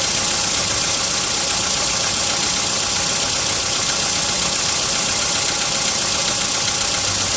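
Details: VW Polo sedan, 55,000 km, cold start at +4 °C: cold idle with light, uneven tapping about two or three per second over a hissy engine note; cold-start engine knock, source not identified.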